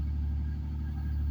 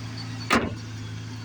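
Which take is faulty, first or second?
second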